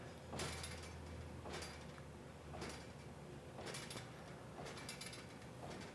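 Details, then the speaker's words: ClearPath servo motors auto-tuning on an Avid Benchtop Pro CNC: the axis dithers left and right while torque slowly rises, rattling plasma table slats about once a second; normal tuning noise. "You can see it's just starting to barely move a little bit left and right, and it's going to slowly work up the torque until it figures out what the limits"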